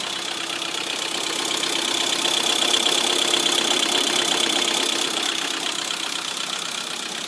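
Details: Lada Priora idling with light, fast, steady metallic ticking, two to three clicks a second, from hydraulic lifters; after repair two lifters were found failed.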